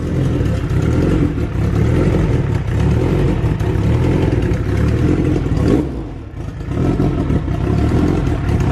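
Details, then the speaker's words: SHO'NUFF engine idling with a new intake manifold lacking an EGR block-off; dull low clatter with a faint puffing click in time with firing, exhaust escaping from the open EGR port on the side of the manifold. "yeah it's coming out the side right here yeah it's coming out the side the intake manifold it's the egr"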